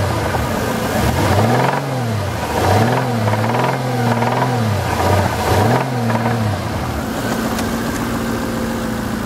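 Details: 2000 Jaguar XK8 bought on eBay, seller says the noise is normal: at idle with rev blips, a steady whirring note rises with revs over the engine; abnormal engine noise, source unclear.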